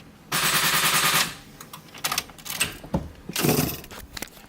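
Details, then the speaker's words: GT86/FRS after a transmission swap, starter already removed and reinstalled to check its teeth align with the flywheel: about a second of rapid machine-gun chatter from the starter, but the engine never turns over or fires; cause still unknown. "The car isn't starting for some reason, we're not sure why."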